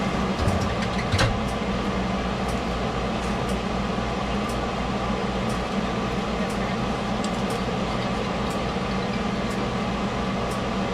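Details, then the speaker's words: Ford Escape after warranty AC compressor replacement: steady, even idle with smooth compressor hum underneath, no knocking, rattling or grinding; normal AC compressor operation. "Well, all right, Ford Escape, AC compressor, warranty, done."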